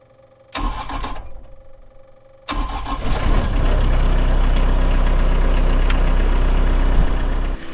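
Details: CAT 304 excavator with intermittent click-no-start fault: starter cranks briefly, stops, cranks again, diesel catches and settles into steady, even idle; clean start.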